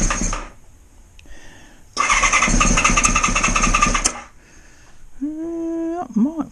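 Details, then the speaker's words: Honda VFR400R not run for ages, freshly charged battery: starter whirs about two seconds and the engine catches only feebly before dying; owner suspects resistance at mildly corroded terminals dragging the voltage, cause not confirmed. "I've got a funny feeling we some um quite large resistance on some mildly corroded terminals it's enough to pull the"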